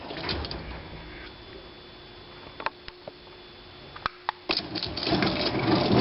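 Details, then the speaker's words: Garage door opener after chain/belt tension adjustment during a tune-up: quiet, low motor hum with only a few light clicks and no squeal or clanking; running smoothly and quietly. "see they they're all going to do that a little bit but this one's not too [Music] bad it's running pretty quiet"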